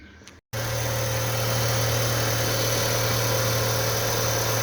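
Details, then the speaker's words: Fiat Palio engine idling smoothly after the timing belt was refitted and correctly tensioned (tensioner marks aligned); the belt had been jumping and hitting the cover, causing the noise. Steady low hum, no slap or knock. Noise gone, normal idle. "Agora sim ó Corrinha no lugar certinho tensionada vocês lembra que tava pulando assim ó tava pegando na capa tudo parou aquele barulho de motor"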